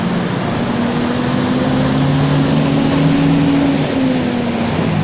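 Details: Torino 2007 bus on an OF-1722M chassis, line 314, recorded 19/11/2018, in the cabin while driving: steady low drone with held hum tones over the diesel; roaring (roncando) rear differential whine.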